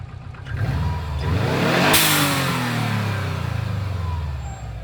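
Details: Subaru Impreza WRX GC8, EJ20G turbo flat-four revved sharply and falling back, rough knocking edge following revs; driven a year, prior owner two years; told forged pistons knock, owner suspects connecting rod; unconfirmed.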